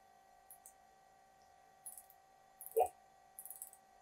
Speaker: until the spindle doesn't move anywhere you hear the clicking noise there is the ratchet that tells us that we're all we made contact with the part